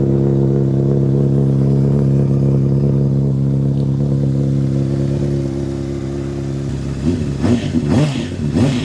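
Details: 2007 Honda CBR600RR inline-four, bought used: steady even idle with clean throttle blip near the end; healthy normal idle.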